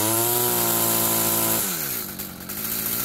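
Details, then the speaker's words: Stihl FS46 string trimmer that won't rev up on throttle, warm day around 85°F: a high buzzing rev climbs, then drops to a burbling run, running a little fat on top; the carb needs adjusting (top, idle, probably low too). "I'll have to set the idle, have to adjust the carb. It's a little fat on the top."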